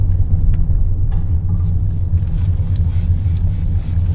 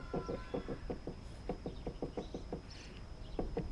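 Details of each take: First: 2015 Lexus ES350 rocked with sunroof tilted up or slid open: only a low muffled rumble and no clunking, unlike with it closed, pointing to the sunroof. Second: 2015 Lexus ES350 rear clunk over bumps, reproduced by rocking the body with sunroof glass closed: sharp hollow knocks in bursts; none when tilted or slid open; sunroof glass clunk, a screw suspected touching.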